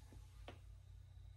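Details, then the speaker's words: Seagate 6TB Expansion Desktop Drive in active use: low steady hum with soft ticking and seek clicks; power supply coil whine, present only when sleeping, disappears while running normally. "you get some noise there that's fine i don't care about when i'm working if there's noise so you can hear the noise that's totally fine the coil wind disappears"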